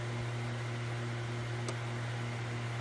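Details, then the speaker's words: Morningstar 600V solar charge controller, fanless, with a steady low electrical hum and fine hiss; the manual says this comes from magnetic resonance and high-speed switching, so it is normal and no action is needed. "it is actually normal because of the magnetic resonance and the magnetic resonance and the high speed switching of the system now this particular unit does not have any fans or anything like that but it makes noise because of that"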